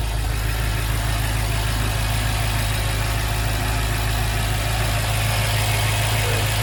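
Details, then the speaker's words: BMW F10 M5 after new spark plugs and coils, loose coil connectors that caused cylinder 2, 3 and 4 misfires reseated and codes cleared: deep even idle burble, steady pulse, no stumbles or skips, no errors; normal idle. "Running fine so far, no errors."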